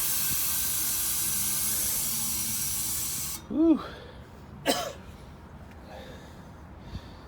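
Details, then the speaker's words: Walk-in cooler box warm at 60 degrees: a loud steady hiss for about three seconds, then cutoff, as the compressor's internal relief valve bypasses on high head pressure. "sounds like high head no can insert on yep that's exactly what it is bypassing that"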